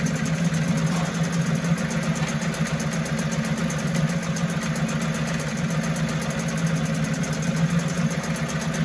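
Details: 1974 Mercury 4 hp single-cylinder two-stroke outboard, made in USA, revived after long storage: steady, even low burble at idle, no misses or knocks; smooth and healthy, sweet easy-starting machine, normal running.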